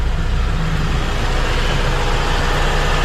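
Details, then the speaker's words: 1980 Toyota Corona RT132, carbureted 18R engine, 4-speed: steady, fairly loud low idle with an even rumble and faint AC compressor hum; loud because the AC is on, which has an automatic temperature cut-off. Smooth normal idle, no knocking. "kenceng karena suara AC nih men."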